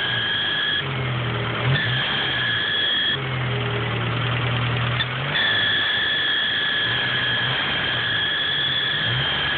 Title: ep3 squeaky sound pulley or belt or...